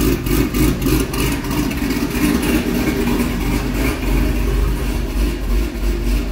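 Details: C6 Corvette V8 after an aggressive cam and long-tube header swap, still on the old tune: lumpy uneven idle about three pulses a second, loping and sagging as if about to die, and it does die. Rough idle from a mismatched tune.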